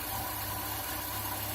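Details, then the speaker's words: Chevy Niva idling with the air-conditioning drive belt removed: even, low steady hum with no whine, rattle or chirp. The extraneous noise is gone, confirming the fault is at the AC compressor pulley and clutch. "ну что скажу как бабка пошептала четко определил косяк именно там посторонних звуков нету"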